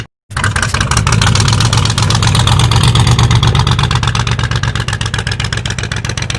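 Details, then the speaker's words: 1985 Ford Bronco (title says 1986), pasture find, first start in 8 months after puking coolant from an exhaust pipe; oil squirted down the cylinders. Uneven, choppy running with weak pull on about six cylinders; coolant in cylinders suspected. "it don't run good but it runs well it was good shenanigans while i lasted we got it up here and tried to back it up of course it didn't have any power because it was only running on about six cylinders anyway"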